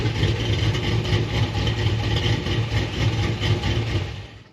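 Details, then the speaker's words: 2003 Silverado SS, 6.0 LQ9 V8 with BTR Stage 4 truck cam, 4L60E, stock 3200 converter, next day with tune sorted: deep uneven loping idle, about four pulses a second, then shutdown; healthy big-cam idle. "all right so now that we got it running pretty good we'll leave it there"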